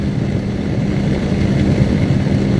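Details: Exhaust hood blower with new 120 V motor, belt loosened via adjustable pulley, amp draw down from 15.3 to 10.5 A (target 11.5): steady even low hum, constant tone, no belt squeal or flutter; normal running.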